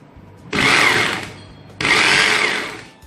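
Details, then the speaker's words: Bosch GBH 2-26 rotary hammer whose hammer action had stopped, after replacing the worn striker piston and its piston pin: two short bursts of fast, even hammering rattle at steady pitch, no grinding or slipping; the hammer action works normally. "Все работает, удар есть."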